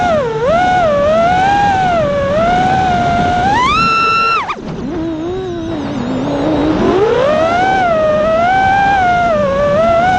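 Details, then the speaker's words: The drone runs after the two failing ESCs that caused the vibration and lost power were replaced with DYS 35A ESCs. The iFlight motor whine rises and falls smoothly with throttle, with no rattle or frame buzz. The motors sound healthy and faster. "so there you go it sounded 10 times better you can hear the motors are spinning faster the frames not vibrating anymore there's no resonating or anything it just it sounds good"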